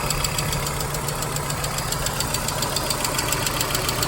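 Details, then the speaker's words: 1997 Volvo 850 at steady idle: quick, fairly even light tick about three or four per second, suspected hydraulic lifter tapping; ceases once driven hard, oil pressure light goes out at start, injectors ruled out by ear, cause unconfirmed. "that to me it sounds like the slap of a little hydraulic piston in there"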